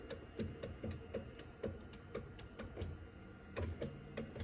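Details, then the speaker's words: 1984 Mazda RX-7 GSL-SE power window switch pressed: steady sharp clicks about four a second, no motor hum; windows barely move or move very slowly; electrical signal thought to be present, mechanical issue or dirty switches/actuators suspected. "I think there is an electrical signal that's going through. If you can hear the click. Hear it again."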